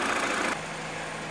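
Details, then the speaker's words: Peugeot 207CC 1.6 at idle, checking air con (faulty electric thermostat can disable it): steady even idle, then sharp click as the AC compressor clutch cuts in and the idle note settles slightly lower; normal idle with compressor engaged. "I'll just start the engine up now when I press the aircon button we should hear the distinctive click or the compressor cutting in"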